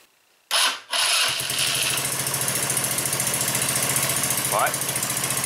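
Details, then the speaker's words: 150cc four-stroke overhead-valve go-kart engine started cold right after a valve adjustment, given a little throttle: cranks briefly, catches first try and settles into a steady, even single-cylinder idle with no ticking; normal cold start. "as you can tell the coal cars still running sounded good and together we all got it going good yes all right so that sounds amazing to me"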